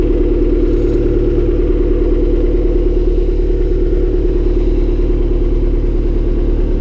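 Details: Honda Civic D16Y7 turbo, cold start the day after spinning a bearing shell: loud cold idle with steady clattering knock about three times a second, no oil light; spun rod bearing.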